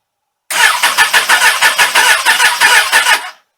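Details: Suzuki Katana motorcycle, cold, sat all winter without charge, full choke, started on a Ballistic battery; starter drags the engine over sluggishly, about three beats a second, never firing; slow cranking.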